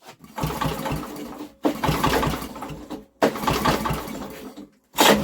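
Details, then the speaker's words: Old Briggs and Stratton generator with new carburetor, choke on, cold windy day: three recoil pulls with short cranking chug, one pop then nothing; fires once but won't catch, cause unknown. "we got nothing apart from a pop why is it not going"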